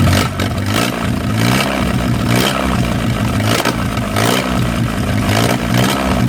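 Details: 1937 Willys four-cylinder flathead generator engine, revived after 15–25+ years sitting outdoors, running steadily after spark plugs were pulled and checked; low throb with light clatter rising and falling as it is revved, keeps running on its own. Water pump sticky, cooling system still unrepaired.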